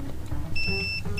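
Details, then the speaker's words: Ford F-150 with a start/stall fault, fuel inertia switch removed and tested with a multimeter: clear continuity beeps return after the reset, twice over. The switch closes properly and tests good. "So currently the switch um if it's working properly it should be closed so there should there should be continuity between to the terminals"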